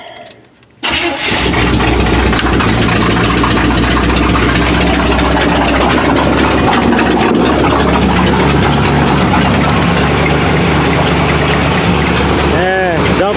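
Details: 1979 Chevy K20 V8 on a used carburetor claimed rebuilt but never tested: brief crank catches into a loud uneven surging rumble that won't settle; fuel line may be leaking, timing suspected off. Cause not confirmed.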